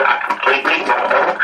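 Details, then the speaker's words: 1940 Fisk Radiola Model 92 valve radio after power transformer replacement, all caps and one drifted resistor replaced, warming up, volume right up: harsh buzzy thin distorted sound with no bass, rattling on peaks; speaker cone separated from frame. "turn the volume right up and um it's all distorted okay um oh I don't think it's valve"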